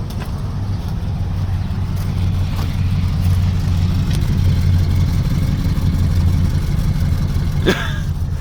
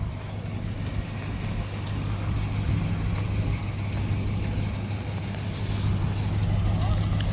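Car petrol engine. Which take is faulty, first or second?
second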